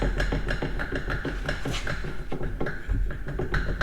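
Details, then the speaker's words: Datsun 510 wagon with turbo KA24DE, driveshaft unbolted, rear end turned by hand: quick hollow clunks, roughly three a second, as gears take up slack; worn rear differential with excessive play after noisy first drive. "Yeah, there's a good bit of play in the rear end."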